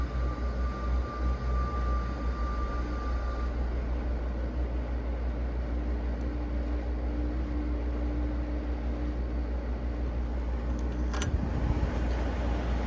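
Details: Carrier UC series 5,000 BTU slide-out air conditioner with a Tecumseh rotary compressor on low cool (medium fan leg moved to the low spade), air already cold. Steady deep hum with a soft, even fan rush and no rattles or squeal: normal running.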